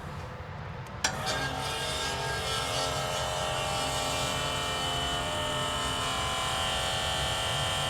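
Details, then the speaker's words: Trailer electric-over-hydraulic brake pump, bench test with blue and black wire to positive: pump runs one steady buzzing whine without getting louder, not reaching full pressure; small leak found at Y connection on front axle line. "So as we were running the pump and listening for change, it pressured up some, but it didn't come to full pressure, in my opinion."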